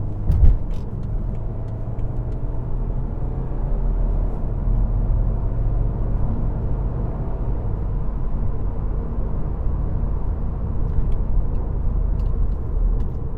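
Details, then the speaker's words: 2013 BMW 520d diesel, about 240,000 km, under throttle: deep, even rumble holding steady, no knocks or rattles; pulls cleanly, healthy. "我觉得这个声音是不会令人难受的，是还 OK， 不像那些罗里啊，不像那些 pickup trucks 这样子的，它是比较细的。你看我踩油的时候，听它声音。"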